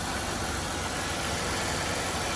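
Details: Car with a 3800 engine at an insurance auto auction, pulley looks fairly new: steady even idle with no knocks or ticks, partly covered by loud background hiss; sounds healthy.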